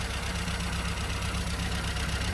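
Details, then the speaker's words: Mini Club with A+ 998 engine, half-inch HS4 carburettor, high-power 8-ohm coil and Powerspark distributor: uneven, lumpy idle with recurring misfire; over-rich mixture and wrong heat-range spark plugs. "as you can hear we're not running smoothly we have a misfire so first thing we need to do is to determine what that misfire is before we can move forward with the tune"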